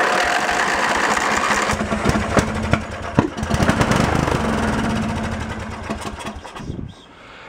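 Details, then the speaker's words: Junk lawn tractor's engine after only blowing air under the carb: fires on the primer and runs rough for a few seconds, then stalls; fuel not drawn up because the carburettor main jet is clogged. "I did not pull that carb all the way and blow those Jets out I just stuck the air gun underneath there so that may be the issue"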